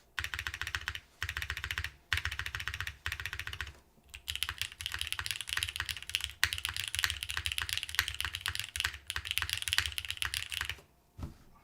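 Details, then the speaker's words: Keycult No. 3 TKL mechanical keyboard typing: fast, even key clacks with a deep low thud and no spacebar rattle; weird spacebar sound from gasket gone, normal clean sound. "This is a really nice sounding keyboard. Weird sound is gone."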